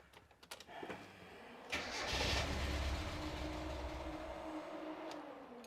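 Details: Miata with code 1 fault, after swapping in a new part (old and new mixed up): brief crank, catches and runs roughly, tone sagging as it dies; starts but won't keep running.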